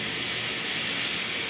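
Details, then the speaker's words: Portable air compressor with tank filled: steady, sharp hiss with no rhythm as air leaks all the way around the pressure regulator, slowly draining the tank to zero; regulator rebuild kit needed. "As you can hear, it's leaking all the way around the regulator."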